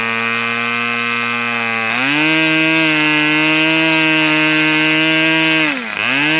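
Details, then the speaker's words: Fox twin-cylinder glow model engine, a screw turned half a turn for lower rpm: buzz steps up, then sags sharply near the end and recovers, like one cylinder briefly cutting out at low speed near 3600 rpm; low-speed needle thought to need two notches. "My tac doesn't record hold the low speed, but I got down to like 3600 and it seemed like this cylinder dropped out a couple of times and that's when I'd hit it. You'd hear it pop back on."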